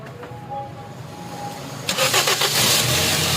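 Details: Toyota Corolla: starter cranks briefly, then the engine catches and runs evenly with no stumble, firing smoothly on all cylinders.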